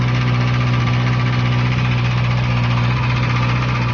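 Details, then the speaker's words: Kawasaki ZX6R four-cylinder 600 at cold start: a fast, hard metallic rattle over a deep hum, sounding like piston knock, which goes away once warm. Cam chain rattle from a small 3/4 chain and a weak tensioner that fails to hold it tight. "导致它现在这个6R有个毛病，如果链条比较长的话，它那个冷车启动那个声音就跟敲缸一样，就像拉瓦当当当当当当当的响。"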